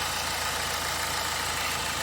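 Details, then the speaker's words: 2009 BMW 320d diesel with cylinder 3 misfire (443C), EML on, parked nine or ten months: steady, even idle with no stumble or shake; engine now nice and smooth during injector current checks. "Oh god, the engine's nice and smooth."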